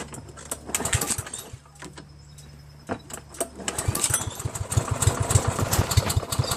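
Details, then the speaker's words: Toro SR4 mower with Loncin clone engine and auto choke, unpredictable starting: rough pull-start bursts and brief uneven firing that never settles before dying; owner suspects choke spring. "See how it starts like a little bit like that? Might have to do with the choke. Something to do with the spring."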